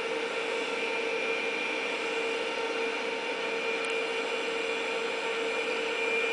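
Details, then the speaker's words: Compumotor C stepper motor bench-tested on 24 V drive with 9 V 500 mA logic supply, placed on table: steady even whirr, constant mid-pitched tone and faint high whine, no skipping or clunks; normal stepper running. "it's turning and uh I putting on the table to you hear the noise of the turning"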